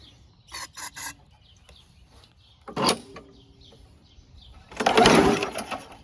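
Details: WeedEater 21" push mower, Briggs & Stratton 500 Series 158cc: pulls give short laboured puffs, never catches, very hard to pull over; owner suspects flywheel brake sticking or rusted cylinder, spark plug next checked.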